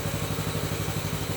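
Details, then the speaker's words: Baja Warrior 200cc single-cylinder, started just after an oil change, on choke while warming up: quick, steady putter at a fast idle with no knocking; normal cold idle on choke. "Gonna choke it. Hot jam. She needs to warm up. Let's let it warm up a minute."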